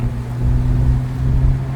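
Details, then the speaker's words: BMW E30 after brake service with synthetic caliper grease and brake quiet, fixing a loud wailing noise: steady low road rumble with no squeal or grinding while slowing; brakes working quietly and smoothly. "So far so good. No issues with braking, no noises, no nothing. Smooth operation. Oh man, much better. Brakes are working good."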